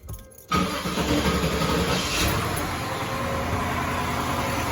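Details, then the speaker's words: Impala V8, not started in about two months, cold start with no antifreeze in it yet, air cleaner off: starter catches quickly, settles to steady even idle, no knocks or misses; normal cold start and idle. "She's purring. We're not gonna let it run too long because, like I said, there's no antifreeze in it."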